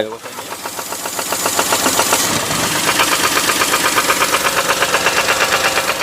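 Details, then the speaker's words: Perodua Axia engine after a sudden check-engine and oil-pressure warning while driving, with the oil sump previously changed at another shop; a sharp metallic knock, nearly three a second, over rough running, suspected connecting-rod bearing or piston, and oil not coming up. "Okey, apa yang hampa dengar ni, kita suspect bunyi tu datang daripada coil rod bearing ataupun bahagian piston."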